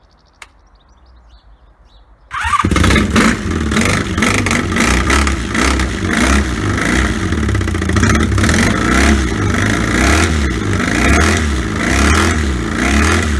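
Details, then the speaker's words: 1984 Honda V65 Magna VF1100C barn-find motorcycle with open pipes, first start after sitting: a four-cylinder fires after brief cranking and settles into a loud, deep, steady burble with clean revs, WD-40 burning off; running healthy. "that's enough for that then that'll be WD-40 burning off awesome it just runs then right"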